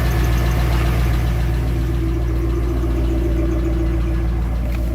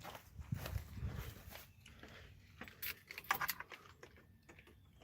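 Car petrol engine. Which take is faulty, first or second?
first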